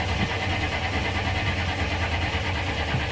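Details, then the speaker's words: GM diesel with almost dead battery (earlier 2–3 V, now 13 V) and 1.5–2-year-old diesel: uneven chugging low drone about three pulses a second, slow struggling crank before it catches; long crank hard start. "Yeah, it's going to need some new diesel. I mean, the diesel in here is probably about a year and a half, maybe 2 years old, so."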